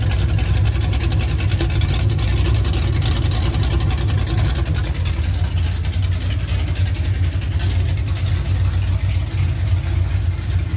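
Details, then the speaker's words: 1981 Chevrolet Monte Carlo G-body with 355 small-block and performance camshaft, Holley carburetor still to be fitted: deep, choppy loping idle and revving, steady and even with no knocks or misfires; healthy engine with sharp throttle response. "i'm gonna insert a clip of it running let you guys hear what the cam shaft sounds like so it sounds pretty healthy i mean the throttle response on this is awesome"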